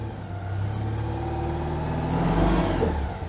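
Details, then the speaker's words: Citroën 2CV not run for months, after slow cranking, too much choke and some flooding: the small twin catches and runs with a steady buzzy beat, revving cleanly and settling with no misses; running fine. "there we go that sounded lovely isn't it"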